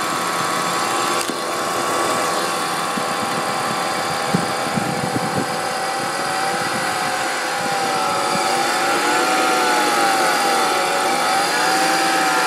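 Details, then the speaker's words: BMW E46 325 at idle: thin wavering whine from the front of the engine, growing clearer; idler pulley suspected, not confirmed. "so um just posting this video up cuz I hear a little whining noise coming from my BMW E46 325"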